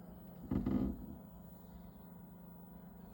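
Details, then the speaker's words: 2kW MZ Au Focus heater newly installed under the bed of a 20.5 ft Montana off-road caravan, remote-started: soft steady low blower hum during the 2–3 minute warm-up before the pump kicks in; normal warm-up fan run. "it'll start going through its warmup cycle now blow for 2 or 3 minutes and then the pump will kick in and we'll see it fire up so if you're not familiar how these run you can probably just hear it's up here you just hear the fan"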